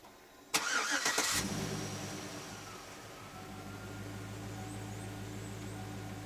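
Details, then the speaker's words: 2007 Chevrolet Suburban after air-ride suspension compressor install: engine cranks and catches, steady idle with a faint even compressor hum as the truck lifts; compressor working normally. "Alright, it's coming on. Let's see if it lifts the truck. Yeah, it's lifting it pretty good"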